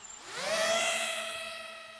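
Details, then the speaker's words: iFlight Nazgul Evoque F5 V2 FPV drone spinning up after a loose, screeching propeller was tightened: the whine climbs quickly, then settles into a clean, steady multi-tone hum with no rattle; motors and props sound healthy. "boom we're off we're off Sky that's much better"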